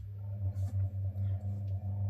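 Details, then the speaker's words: Capehart radiogram motor run at 110 volts via lamp limiter, sitting directly on the bench: steady low hum with pulsing growl and whir; its rubber support mounts have crumbled, new supports to be made. "You can hear it whirring. It's growling quite nicely because obviously it's sitting straight on the bench. There are some rubber supports that this sits on. They've all gone to crumbly mess."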